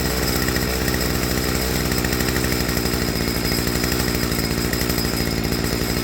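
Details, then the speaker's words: Stihl FS55R two-stroke trimmer after a carburetor swap, low-speed screw set just back in from where idle dropped: even, steady buzz with no surging or dropouts; mixture set right, with instant response at wide-open throttle. "Okay. So, it's probably hard to hear on camera, but right here is about the optimal spot for it."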